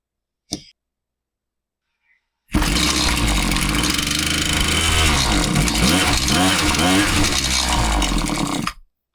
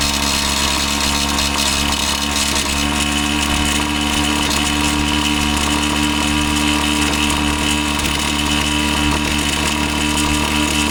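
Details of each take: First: Husqvarna 525PT5S two-stroke pole saw, customer complaint of bogging, after a carb refresh with both mixture screws reset a quarter turn rich and the top cover off: revs sag and surge unevenly. It runs fine on top but bogs on the trigger and ignores low-speed adjustment; cause unconfirmed, possibly not the carb. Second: Husqvarna 525PT5S two-stroke pole saw, previously bogging, on the final run after carb work and a new ignition coil: a steady high-pitched buzz held at high revs while cutting, without bogging or cutting out; it sounds healthy.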